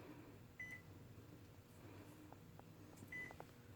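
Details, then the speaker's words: IV infusion pump set to 125 mL/h with 500 mL to infuse, programmed but not started while the line is connected, gives two short high reminder beeps about two and a half seconds apart in a quiet room. "after priming the tubing I could have flushed and connected then I could have set up my pump and I wouldn't have to listen to that beeping sound"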